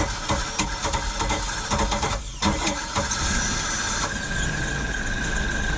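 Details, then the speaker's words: 1995 Mercruiser 4.3L Vortec, Thunderbolt IV ignition, Alpha 1 Gen 2, cold, on garden-hose cooling water flow check: cranking catches and settles to a steady, even idle with clean exhaust burble; normal cold start. "a cold naked she's running good see if she's pumping good waters from the outside"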